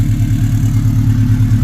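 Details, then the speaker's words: Subaru Forester XT turbo engine with no codes and no check engine light: deep, throbbing low growl pulsing steadily at idle, heard near the turbo; it smokes and smells oily only when revved, and the owner suspects a bad turbo and will pull the downpipe to inspect it. "I can hear kind of a growling noise coming from over here. So I don't know, we're gonna pull the downpipe off, inspect the turbo."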